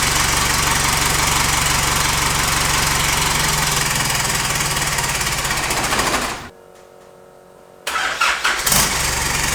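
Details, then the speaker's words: Isuzu 4JJ1 diesel swapped into a Nissan Patrol, first starts after the starter motor was knocked to free the brushes: even diesel clatter at steady idle, shutdown, then quick clean restart; now starting every time, normal start and idle. "it's ran a few times now it's starting every kick which is good"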